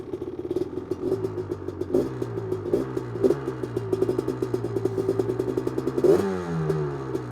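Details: 1985 Honda ATC 250R two-stroke, freshly rebuilt engine (new crank, rod, Wiseco piston, bored cylinder, seals) after holed piston, gently test ridden under first load: crackles and blips through light throttle, picks up crisply, no bogging; running well, more responsive.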